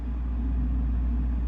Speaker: I believe it's magnetic flux from the Transformers getting into the radio